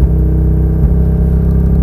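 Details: 2000 Mazda MX-5 Miata, P0420 and P0302 (cylinder 2 misfire) codes, catalytic converter and O2 sensors replaced with no change: low rumble stumbles and loses even pulse as throttle is slowly added; no acceleration or power.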